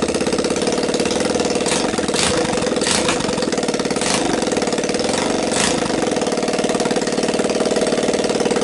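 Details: Linhai Talon 300 4x4 ATV engine on bench outside the frame, PZ27 carb taped to intake, 12VDC CDI, choke on, first start: small single thumping at quick steady beat with slightly raspy exhaust, no knocks or rattles; runs well, no bad noises.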